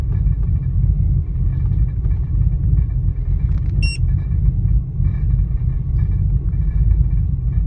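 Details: 2000 Ford Expedition idling with a deep, uneven, lumpy, unsteady rumble; rough idle, cause not yet pinned down.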